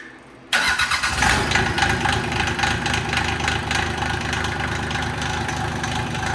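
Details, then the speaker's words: Rebuilt Mitsubishi L3E 3-cylinder diesel driving a log-splitter hydraulic pump via Lovejoy coupling, one cylinder still slightly scored: starts at once and holds a steady diesel clatter at idle under pump load without labouring; normal idle under load. "that's on idle, and that's like the speed of my old splitter. That's good."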